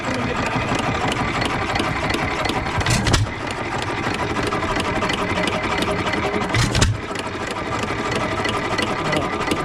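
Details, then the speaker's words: Economy 3 HP hit-and-miss engine, possibly 1923, first run after auction purchase: steady even chuffing with a heavier firing beat every few seconds, smoking a little, no connecting rod knock heard; running normally. "so she's running she's smoking a little bit I don't hear the connecting rod"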